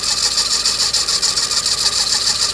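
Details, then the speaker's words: 2005 Suzuki Swift at idle: steady high-pitched whirring with fast warble, sounding like a bearing; belt tensioner loosened to isolate it, found to be water pump bearing noise. "sound to me like a bearing so is five Dr five Dres and then the original is in here"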